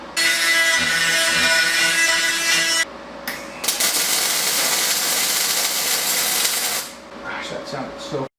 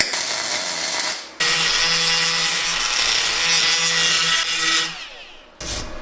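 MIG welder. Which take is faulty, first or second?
second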